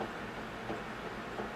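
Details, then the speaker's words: VEVOR 3 L commercial slushy machine, about 20–21 minutes into freezing, hopper about 35.4 as ice forms: soft uneven knocks roughly every two-thirds of a second over churning hum; owner suspects an issue with the auger; knocking noise. "so you can see how more and more ice is forming and that knocking noise if you can hear it"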